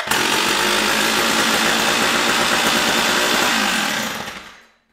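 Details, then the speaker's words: Stihl 056AV chainsaw just after its failed Bosch ignition was replaced, no bar fitted, before warm-up: crisp, even high-pitched two-stroke buzz that settles steadily, then shuts off. Runs clean and healthy. "now wow okay that sounds really healthy now the real test is once it warms up"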